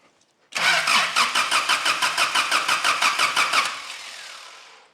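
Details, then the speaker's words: 1985 Daihatsu Rocky 2.0 petrol, unused for months, fuel in the sump: strong, even cranking about three beats a second for three seconds that never catches; healthy crank but no start, spark still to be checked. "let's crank it okay that's fantastic news that's a really healthy crank"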